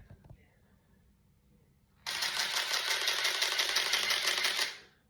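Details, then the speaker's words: Canon EOS 1N 35mm camera after repair of its BC error (mirror activation magnets), set to manual high speed: crisp, evenly spaced rattle of shutter clicks for nearly three seconds with no stalls or skips. Normal high-speed shutter firing. "I know people don't like the noise that these old cameras make, but I absolutely think it is absolutely beautiful."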